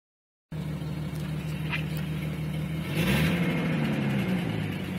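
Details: 1996 Jeep Cherokee Sport 4.0 six idling: rough, uneven exhaust chuff about three per second over the drone from exhaust broken at the Y pipe, leak worsening over six months; also has a misfire.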